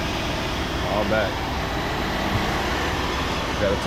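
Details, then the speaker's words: 2005 Jeep Grand Cherokee Laredo after replacing serpentine belt and belt tensioner, start-up idle: steady, even idle with smooth low drone and no squeal, chirp or rattle from the belt drive; noise gone, runs healthy. "top my coolant off and stuff, but I don't hear it anymore."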